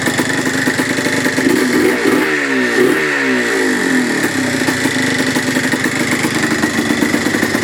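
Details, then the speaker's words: 1980/1981 Yamaha IT175 vintage two-stroke enduro single: crisp ring-ding, blipping up and settling back cleanly; runs healthy and responsive, though a petcock O-ring fuel leak was found. "love the sound of a good-sized one-liner two-stroke oh this is gonna be fun"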